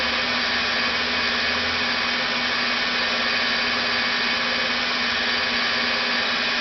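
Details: Rebuilt NetGain WarP 9 DC motor seating new National T300 brushes, idled at light load by an EVNetics Soliton1 after about 40 hours of running. Steady whir and low hum, around 900–1000 rpm before an unexplained slowdown below 900. Normal idle.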